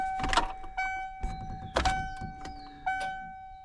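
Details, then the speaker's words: 1996 Ford F350 dually with a big-block 460, sitting for years, about 3 gallons of fuel, switched from the rear to the front tank: after the key click a steady high electric hum. The front pump primes normally; a rear-tank problem is suspected. "I heard the pump kick on. Fuel gauge going down."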